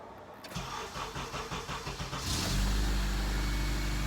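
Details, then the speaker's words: 2003 Honda CR-V after timing chain repair, first cold start, not warmed up: about two seconds of cranking, catches immediately into a smooth even idle with no rattle and no check engine light; normal cold start. "starts right up Wow this thing runs so much better oh my gosh"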